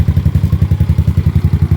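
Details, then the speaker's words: Motorcycle ("Panther") idling just after being started with two portable drill batteries as a jumper: even, steady thumping at about ten pulses a second with no knocks or misses. Normal idle. "Dalawang battery ng drill. Napaandar natin si Panther."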